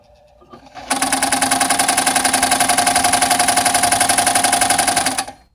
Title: New Home 702 banging noise